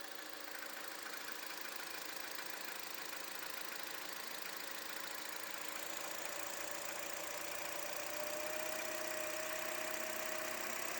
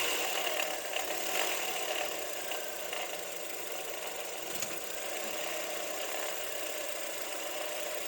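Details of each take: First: Toyota Wish after replacing the alternator pulley that caused the engine noise: a smooth, even idle with a steady light hum and no squeal or knock. The noise is gone. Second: Toyota Wish 1.8 2R engine, started at idle, noise at top front of engine: dry, uneven chatter over the idle.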